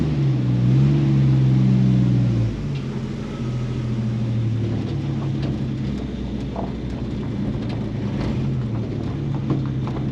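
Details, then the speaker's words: AMC 258 straight six in a 1946 Studebaker truck with factory BBD carburetor: as choke opens and engine warms it idles low, lumpy and uneven, falls on its face, nearly stalls; rough idle, temperamental driving, cause unconfirmed. "it's going in the rough idle now you can hear it check it out as the choke opens it's going to idle like garbage"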